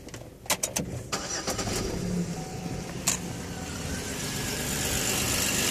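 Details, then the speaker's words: Chevrolet Equinox after repair of both blown head gaskets, machined heads, exhaust studs, new radiator, coolant and water pump: a few clicks, clean catch, steady even idle with no knock or misfire; runs like new. "runs like brand new wish I could find the cover for this and for this that runs pretty good though"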